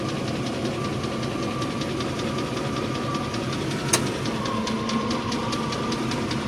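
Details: 1998 Range Rover P38 V8 at idle: a steady, quick, even tick over the engine note, heavier sounding but still at valve speed. Likely top end, not confirmed.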